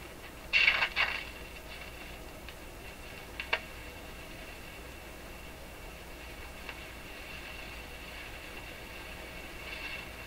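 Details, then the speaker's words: Rogers 11RA651 shortwave radio during paper/wax capacitor replacement, powered on a dim bulb tester, no antenna, volume down: low hiss with sharp crackling bursts and a later pop from the speaker; could be a capacitor or volume control, unclear. "Volume's right down. So we're listening now for crackling."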